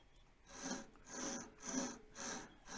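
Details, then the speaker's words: Wood lathe with sharp gouge: even rhythmic hiss, about two strokes a second, smooth with no chatter or tearing; sharp tools slice cleanly with no effort, leaving a shiny polished surface; clean cutting. "and you always get that nice sort of a hissing sound"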